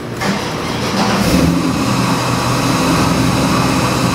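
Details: Proformance LS3 416ci stroker crate V8 (about 550 hp) on the test stand: fires up and settles into a steady, even idle with a lumpy cam rhythm, no knocks or rattles; normal idle.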